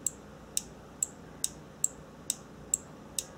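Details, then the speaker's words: A/C condenser or radiator cooling fan relay being bench-tested with jumper leads from a battery. Sharp, crisp clicks about twice a second, nine in all, over a quiet background show the relay coil pulling in cleanly and working. "Now, the goal is to hear a clicking noise. That's a very, very good sign that the relay is working."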